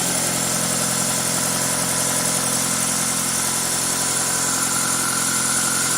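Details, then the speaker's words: 2000 Toyota Celica GTS, 2ZZ engine, after cleaning and adjusting the idle air control valve, warming up at about 54–65 °C: smooth, even hum idling a little fast at around 1300 RPM and dropping; healthy engine. "that is a really healthy sounding engine foreign I'm just gonna pause the video I think as the engine is heating up now it's 65 you can see the RPM dropping it's clearly going down that's good"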